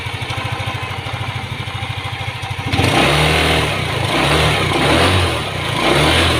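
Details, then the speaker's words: Yamaha Aerox 155 scooter that rattled when hot, after teardown and reassembly: even, quiet idle and smooth throttle blips with no rattle; the noise is gone. "yung before natin kalasin yung aerox ganito sa Kaingay after natin mabuo mga tropa ito na siya natatahimik"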